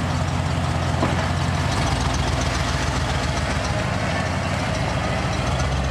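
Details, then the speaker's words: Ford F150 truck engine idling after fitting a higher-temperature thermostat and vacuum advance; steady, even low rumble with no knocks or stumbles, running a lot better than before. "oh yeah it's running a lot better now yeah so much happier higher temp thermostat vacuum advance really helps a lot"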